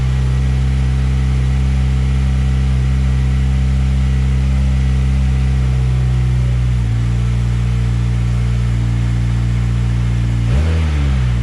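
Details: Mazdaspeed 6 with fully built engine, Precision Gen2 6062 dual ball bearing turbo and port injection with 2200cc injectors, after a loose O2 block-off plug was fixed: steady deep idle, then two quick throttle blips that rise and settle.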